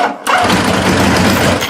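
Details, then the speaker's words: 1986 Kawasaki GPZ900 (900cc DOHC 16-valve four) with faulty clutch lever switch bypassed by wire jumper: brief crank, engine catches at once and settles to steady even idle; normal start every time. "all i've done is just bypass that war or the switch itself with a piece of water and a couple of connectors and every time we'll start there are"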